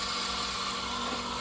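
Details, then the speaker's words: Band saw cutting clear pine in a straight line with no pressure and no curves: a steady, even hiss and hum with a consistent tone, the normal sound, without the bearing whine heard on curves. "that was it that was no pressure no curves there's straight cuts like this you'll hear it cutting"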